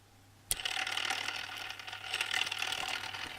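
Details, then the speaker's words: Tamiya Display Turntable (black), battery-powered, run at high speed without the tray: small motor spins up with a busy, light chattering rattle from the gears; loose gear train noise, about three rotations per minute. "it's rattles let's look at it"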